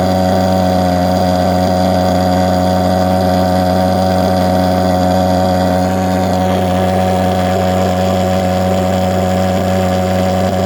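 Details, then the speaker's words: Vectorfog H100SF gasoline pulse jet thermal fogger on VP Racing canned fuel, fuel valve wide open: constant, even roar holding one pitch, no sputter or surging; normal steady running. "you could probably hear the difference there between uh when i had it running kind of lean and when i really fluttered it so that's kind of cool"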